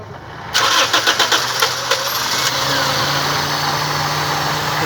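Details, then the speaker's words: Short crank catches within a second, then a steady, even idle with no stumble on a Toyota Corolla after the faulty ignition coil was replaced; the coil no longer leaks spark and the misfire is cured, normal start and idle. "तो फिर जी हमने गाड़ी स्टार्ट की है और आपको बताने जा रहे हैं कि ये अब लीक नहीं कर, आप देख सकते हैं।"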